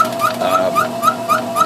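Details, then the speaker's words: Belt-driven refrigeration test bench, two-piston compressor running at extremely low speed: a high squeak repeats about four times a second over a steady tone. The compressor is worn and knocks once per revolution. The squeak's cause is unknown; rings or poor lubrication at low speed are suspected. "rings and maybe just running at this extremely low speed it's not getting proper lubrication and it's just wearing itself out"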